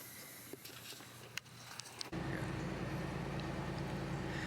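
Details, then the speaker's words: 1992 Olds Cutlass Supreme blower motor after removing debris from compartment, AC on: steady even whoosh with low hum, no rattle, much quieter than the earlier roar; fan working normally. "fan is working just fine and you can probably hear it now this is completely low can barely hear it before it was roaring really lo"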